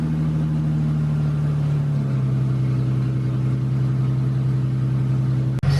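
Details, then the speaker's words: 3.8 V6 SN95 New Edge Mustang, first start after blown head gasket replacement: engine catches and settles into a steady, even idle with a smooth low rumble, no knocks or misses; normal idle. "but she sounds great"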